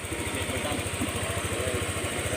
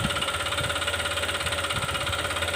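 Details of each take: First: Honda Click 125 scooter at 160,000 km, after the connecting rod was replaced: a quiet, even single-cylinder idle with steady regular pulses and no knock or rattle. The engine sounds healthy after the repair. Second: Honda Click 125 scooter at 160,000 km, just started and blipped lightly, before repair: a hard, regular knock about three per second, a worn connecting rod; the planned fix is replacing the crankshaft and connecting rod assembly.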